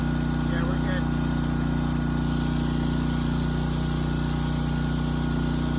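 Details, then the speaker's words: Briggs & Stratton Elite Series generator (model 030471-01) after repositioning the oversensitive governor spring and backing off the speed adjustment screw: even, unwavering hum at constant speed; governor no longer hunting. "Okay, good. The hunting, the surging, it's gone."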